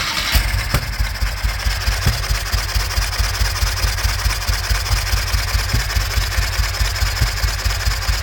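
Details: 2005 Ural Patrol motorcycle twin firing only on the left cylinder, at idle after an air-leak check and valve lash set; lumpy uneven idle with a heavy thump about twice a second and a gap where the other cylinder should fire.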